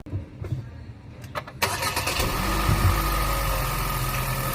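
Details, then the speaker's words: Hyundai Stargazer CVT at cold start in the morning: loud steady whine over a low rumble, said to come from low CVT fluid and to fade after a few seconds; 1 L of fluid to be added. "Pag-start mo pa lang sa umaga, ito yung maririnig mong noise sa engine niya. Yung transmission niya."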